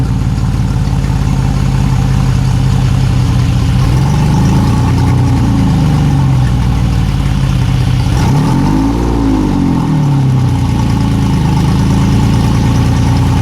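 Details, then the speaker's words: Yamaha outboard on an aluminum boat that sat for years, started after fuel was poured into the fuel-water separator: a steady, even, quiet low rumble with a smooth rev blip and no knocks or misses, a normal healthy idle. "that's a quiet motor"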